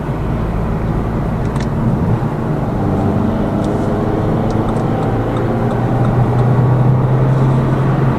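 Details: Lada Vesta Cross with AMT 2.0 robot gearbox, fully loaded, on rough road; head-mounted action camera. Steady road rumble and low engine hum, no clunks or knocks from underneath; suspension tight after shock absorber strut replacement removed the knock.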